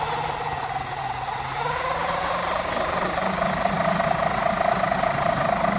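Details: Blue RC Mini Cooper S, ESC replaced, on 2S lithium-ion battery instead of 3S, driven in circles: motor whine climbing in pitch with a soft knock about twice a second tracking wheel speed; likely a wheel or tyre fault.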